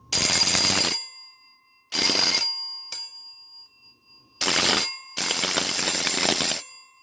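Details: Antique Edwards doorbell after stripping all its old paint, tested one-handed: loud bright ringing in half- to 1.5-second bursts with clear ringing tails; healthy bell.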